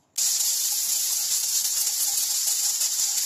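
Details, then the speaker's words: Pressure cooker on high-pressure setting cooking chicken; sudden steady sharp hiss with no rhythm as steam escapes, collar seal suspected not airtight, heat turned off quickly; steam leak hiss. "There were some minor problems during the suppression, it is estimated that the airtightness of the collar is not enough You can hear strange noises, so quickly turn off the fire"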